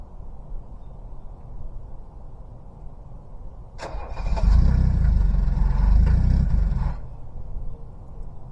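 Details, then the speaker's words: Cold-start diesel, one glow plug suspected weak, given two glow cycles: cranks, catches with one cylinder cutting in and out, then all cylinders fire evenly in a steady low clatter; normal cold diesel idle. "we're gonna let it idle it'll it'll catch on hear that one cylinder coming in and out there it goes we got it"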